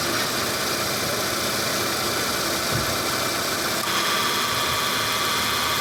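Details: Car AC compressor, engine running: a rough, hissing growl held steady with no clean tone, the "ngorok" growl of a damaged AC compressor.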